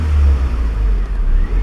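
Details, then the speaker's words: Honda Civic 1.5–2.0L with P0505: idle swells up and sags unevenly over a couple of seconds, a hunting idle; owner suspects stuck idle air control valve (IACV), unconfirmed. "she's still jumping I can't mimic what I was saying before but that's what it does"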